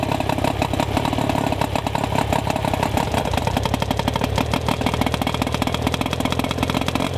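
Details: Outboard after replacing ignition control module, shortening coil boots and greasing connections: quick, even firing beat holds steady with no stumbles or gaps; now running smoothly and cleanly.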